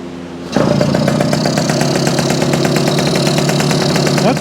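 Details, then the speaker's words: Circa 1965–67 Yamaha YJ2 (Campus/Riverside 60) 60cc two-stroke: catches after brief quiet, then quick even crackling idle with no misses and no piston slap; normal idle. "all that out but it really does sound pretty good it's uh I just don't hear a piston slap at all the kickstands a big Improvement"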